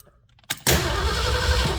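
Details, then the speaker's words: 1974 Ford van with a new fuel pump and rebuilt carburetor, sat 30 days: the starter cranks at a steady, even beat but the engine never catches, because the carburetor is dry and has no fuel. "Okay. Not surprisingly, it did not start."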